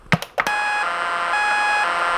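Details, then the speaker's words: Lightning-damaged NuTone IMA3303 intercom: clicks, then a continuous shrill warbling tone with steady bleeps from the speaker on door and patio talk, radio silent; digital noise, cause unknown. "obviously we're receiving some sort of alien signals if we do inside patio talk it's the same thing i'm fairly certain it's a distress call from the andromeda system"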